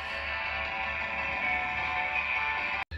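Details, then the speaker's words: Vintage Realtone AM/FM all-transistor portable radio after most capacitors were replaced (two sub-1 µF caps swapped for 0.1 µF film caps, one pair paralleled for 0.2): clean music at steady volume, no crackle, hum or distortion; normal audio. "Okay, the majority of the caps have been replaced, and it sounds about like you would expect it to based on how it looks."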